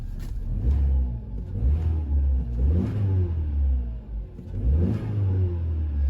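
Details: 2018 Opel/Vauxhall Mokka with P0300 random misfire and stutter on throttle snap, after clearing codes: clean, even rev blips about once a second, no stumble or pop, rev counter stabilizing, some smoke from unburned fuel clearing; sounds healthy.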